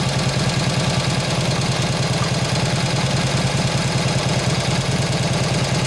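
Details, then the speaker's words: 1953 Harley 74ci panhead during carb tuning: loping, slightly lumpy V-twin at fast idle, running fat taking throttle because the carburettor main jet is too big. "So it's a little bit fat taking the gas. Because that damn jet's too damn big and it's showing it."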